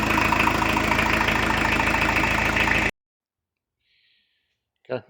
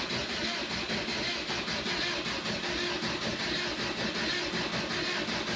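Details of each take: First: 1986 VW T25, 1.6 JX diesel, after an 8-year rest: even, steady idle clatter at about four beats a second with no knocks, then shut off, blowing a bit of soot with no oil. Healthy. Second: 1986 VW T25 Transporter, 1.6 JX diesel, stored since 2017: steady fast starter churning at about 160 rpm for nine seconds with no catch, then silence. Air in the diesel lines; the owner is also unsure whether the glow plugs work.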